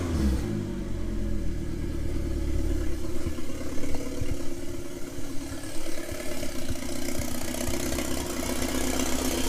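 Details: 1997 Mitsubishi Eclipse GSX 6-bolt swap, long-sitting engine, after rewiring cam angle sensor: cranks, catches, blips a few times, then settles to steady low idle without misses; first start, runs normally.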